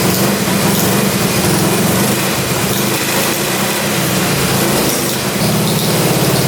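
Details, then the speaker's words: Russian Dnepr military boxer twin sat 30 years in a barn, first run; uneven idle with faint intermittent squeak over the exhaust beat, heard from one cylinder; owner unsure, maybe the points area, source not pinned down. "hear that squeaking I don't know if it's the points area or what something's squeaking pretty bad I can't tell"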